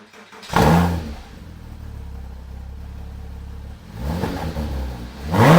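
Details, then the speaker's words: Porsche Cayman S 987 after fitting aftermarket exhaust, secondary cats removed: sharp blips rise and fall cleanly, then a deep, even idle, idle nearly unchanged from stock; healthy engine, louder only when revved. "Oh goddamn, it sounds good. Funny enough, idle is pretty much the same, which is lovely. It's not until you open it up then it becomes apparent it's an aftermarket system."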